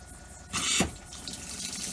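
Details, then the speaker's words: Motorhome water system after refilling the water heater with the refurbished burner, owner suspects the pipes under the van may be frozen: short hissing, spluttering gush at the bathroom tap, then a trickle; air purging from the tap. "There's some air in the bathroom. It stopped the hissing noise"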